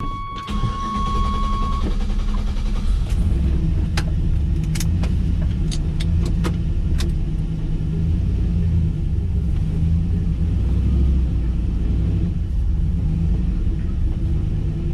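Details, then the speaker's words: Turbocharged LS-swapped 600 HP Chevy C10 with a newly installed muffler: quick crank catches at once and settles into a deep, steady V8 idle. Normal, smooth and noticeably quieter exhaust. "Wow, it's definitely quieter."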